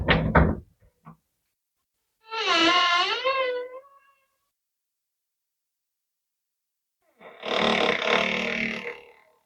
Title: How to Fix a Squeaky Door Hinge